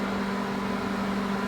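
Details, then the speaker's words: Microwave after repair, heating water in a 30-second test: even, steady low hum. The earlier popping and sparking is gone and it works normally again. "aí viu que aquele barulho aquele aquele fogo que que que saía né fogo que saía já não acabou a micro-ondas voltou a funcionar normalmente"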